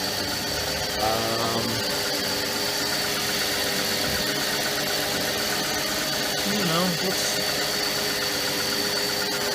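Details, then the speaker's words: Mercedes C32 AMG idling after idler pulley and bearing replacement and an oil change: steady idle with a faint high hiss. Most of the earlier whine is gone, though some may still be there. "so I don't really hear some of the wine that I heard before kind of feels like I'm a steer still here a little bit"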